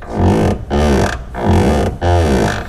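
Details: 2009–2018 4th-gen RAM truck door (1500/2500/3500): four long, low groaning creaks, one with each door swing, from the unlubricated door check roller on the hinge; lubricating the roller post cures it.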